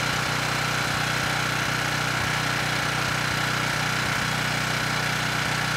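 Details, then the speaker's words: Ridgid 5700 W generator (RD905712) with Yamaha MZ300 engine, 1500 hours, salvaged from dump, old oil: started first pull, steady even single-cylinder drone with regular firing, no knocks or misses; running healthily. "it started first pull engine sounds good and the power head seems to be doing a good job as well"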